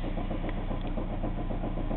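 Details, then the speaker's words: Chevrolet Cavalier at normal running temperature, no oil pressure, oil light on: steady rhythmic low knock at idle, revved to about 1,200-1,700 rpm, rod knock from a spun bearing; engine also smoking. "ing it from an idle where you can hear the knock to about 1,500 to 18800 RPMs and you can see how bad it actually is"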